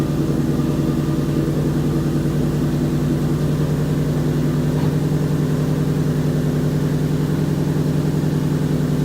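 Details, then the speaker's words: 2011 Ford Mustang GT 5.0 Coyote with Roush exhaust, first start in a garage after replacing all rod bearings (King) and rod bolts to cure a light tick and knock: deep, steady idle with no tick or knock; repair successful. "so indeed the tick was gone"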